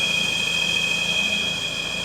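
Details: Citroen CX GTi first start after head gasket job and valve clearance adjustment: steady high-pitched whine over a smooth-running engine; it is the alternator (generator), no issue.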